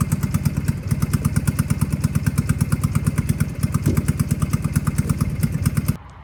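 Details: Old Power King 2417 economy lawn tractor revived after starter replacement, fuel filter and disconnected kill switch wire: even steady exhaust thumps about three a second, then clean shutoff; runs smoothly with no knocks or misses.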